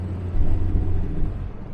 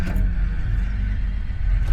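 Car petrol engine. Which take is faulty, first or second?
first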